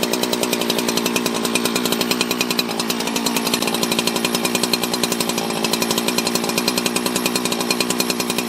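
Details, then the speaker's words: 24-year-old Husqvarna 365 chainsaw revived from junk, just after first start post-reassembly: crisp, high-pitched two-stroke buzz holding steady at high revs with even firing; running strong. Normal running. "that's that's the sound of a husky that's how that's how a husky runs"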